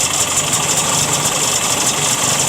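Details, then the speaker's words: 1967 Ski-Doo two-stroke with Tillotson carburetor, still slightly cold, high-speed screw turned in too far: thin, raspy, high-pitched drone with slight waver, no pull, slightly boggy; too lean. "All right. That's too lean. Too lean right there. It's too lean."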